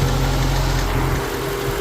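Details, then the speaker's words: Infiniti M45 with VK45DE engine, recurring noise at idle from belt-drive area: steady low drone with constant whirring; pressing on the pulley makes it vanish, owner unsure whether idler pulley or tensioner, which visibly moves a lot. "I don't know it's just completely gone away once I put pressure on that pulley right there so I'm not sure if it's the pulley itself or it's the tension or making noise in the background"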